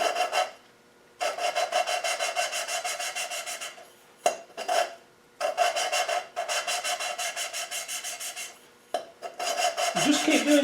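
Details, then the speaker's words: V8 cylinder head valve hand-lapped with fine cutting compound: rhythmic rasping strokes, about three a second, in bursts with pauses, growing quiet as the valve beds into its seat. "lift lift and separate and you'll hear the the noise the grinding it starts to go quiet now"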